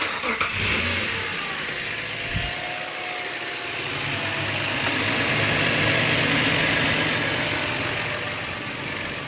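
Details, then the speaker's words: 2008 Subaru Outback EZ30 flat-six, radiator fans on: engine catches, even idle, smooth rise in pitch when revved; no belt whirr, runs clean. "So the air conditioning might come on, but I might have left it on, but it's not pumping. So you're hearing the EZ30."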